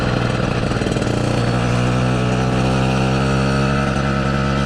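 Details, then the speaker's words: Southern Custom CC hybrid motorized bicycle engine: winds down off throttle and settles into a steady droning hum, a resonant vibration felt in the bike at that frequency every time the throttle is released. "i mean you guys can hear the vibration that hum every time i let off of the throttle when it winds down that's what i'm actually feeling in the bike at that exact frequency"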